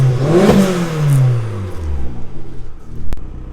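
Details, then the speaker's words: Opel Z20LET 290HP Stage 3.5 turbo after head gasket replacement (old gasket was pressurising the coolant system), cold start with exhaust condensation: deep blips rising and settling smoothly, strong even exhaust note, much more compression now. Normal rev. "we're going to give it a little rev just so you can hear the exhaust it's obviously got a lot more compression now than it did with that uh compression going into the water system"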